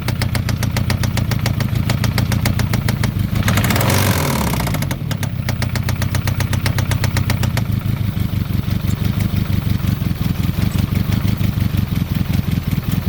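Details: Citroen ZX 1.9 engine idling after starting: steady, rapid knock on every firing pulse; cause not identified.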